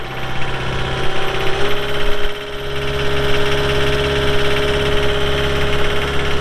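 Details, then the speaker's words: 2018 Caterpillar 262D skid steer, 1,242 hours: diesel catches and settles into a smooth, steady low rumble with an even throb, no knocks or rattles; normal diesel idle. "We'll fire it up and get right into an operational video."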